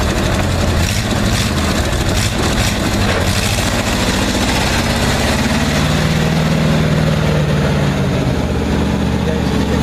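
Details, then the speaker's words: 1959 Chevy Viking 60 tow truck, just revived after about 12 years sitting, engine electrics reworked: steady, even V8 idle, deep low rumble, no knocks or misses; normal idle. "up hold up it's alive so got another one running"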